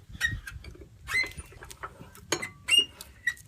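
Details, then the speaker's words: Gravely 814 engine, previously seized, freed up after cooling and turned slowly by hand: irregular high chirps and scrapes, metal on metal at one spot; owner suspects a bearing, possibly rings, teardown planned. "This is one spot. Hear that? There's the squeak. It's a horrible metal on metal sound. that I don't like."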